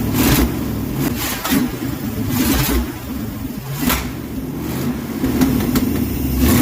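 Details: 1968 Dodge W200 Power Wagon, carbureted 383 big block V8, 4-speed: revs cleanly through several throttle blips, running better with good carburetion, but a puffing, ticking chuff rides on each pulse from an exhaust leak.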